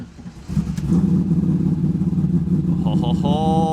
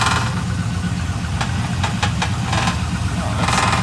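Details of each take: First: Modified manual Trans Am WS6 with 48,000 miles, cold start: fires at once and settles into a smooth, steady idle with no slap or lifter tick. Good oil pressure and healthy throttle response. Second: Modified Trans Am WS6, after a cold start: uneven light rattle over a steady low idle rumble, not locked to engine speed. A loose part with its screw missing.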